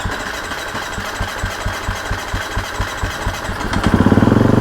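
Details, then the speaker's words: Husqvarna FC250 after fuel pump replacement and battery charging: slow, regular cranking pulses, then the single catches and runs with a quick, even beat. Normal start. "yes yes yeah nice oh man she sounds good"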